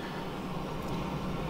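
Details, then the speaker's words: Refrigerator not cooling, compressor and freezer fan running normally: steady low even hum with no clicking or rattle; the fault was a defrost problem with vents frosted over, suspected defrost timer. "So, it kicked the fan and I can hear the compressor running right now."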